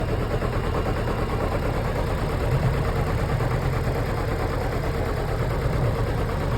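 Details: Chevrolet Celta engine at idle with an uneven low rumble and irregular dull thumps. Abnormal engine noise; owner suspects the catalytic converter or the head gasket, cause unconfirmed.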